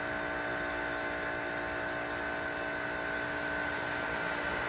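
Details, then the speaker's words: Pool pump feeding suction-side Zodiac Barracuda G3 vacuum: steady motor hum under a loud airy hiss changing volume as the pump strains from too much suction to the vacuum; fix by backing off suction. "there it is hear that hissing here it changing volume it's changing its sound that's telling me I've got too much hear that that's telling me I've got too much suction to the vacuum"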